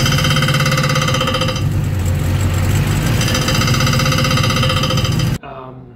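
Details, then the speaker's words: Hot rod with rebuilt 4L60E transmission, run to temperature to set fluid level: after 45 minutes to an hour a tinny metallic rattle about three per second from the bell housing; owner suspects a backed-out bolt contacting flywheel or torque converter. "To me, it sounds quite tinny, almost like there's a bolt that's backed out and is maybe contacting the flywheel or the torque converter itself."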